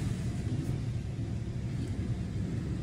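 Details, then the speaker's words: Hyundai engine after restoring a low-compression cylinder with cleaning fluid and new spark plugs: low, steady idle rumble with no skips or lopes, running smooth though still smoking as the fluid burns off. "let's go drive it and see she already running smooth it's smoky it's smoky"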